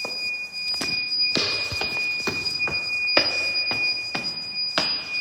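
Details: Weird beeping noise at Westminster School Amman, source unknown; sharp high chirps repeating about every half second over a steady thin tone, persistent recurring beeping.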